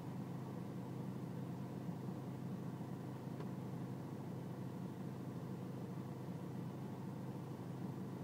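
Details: BMW E46 320cd diesel idling with low engine and outside temperature: low, uneven chug with slightly irregular beat under a steady drone; rough idle, cause not evident, air-mass and selective mass adjustment checked in INPA.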